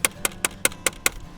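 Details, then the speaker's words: Renault Kwid, 1.0 L three-cylinder with 14-inch steel wheels: the wheel cover is not held by the three lug nuts and is loose from the factory, giving sharp, evenly spaced clacks about five a second on a dirt road; loose wheel cover rattle. "So that means when you're rolling down a road that is uneven, or it has potholes, or it's a dirt road like this one, you constantly hear"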